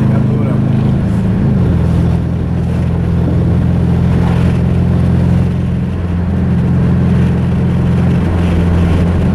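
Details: Rusty Mazda 3 after its engine blew on a clutch dump: loud, uneven, lumpy engine note whose low drone wavers and stumbles, sounding like a Subaru; rough running from serious internal damage.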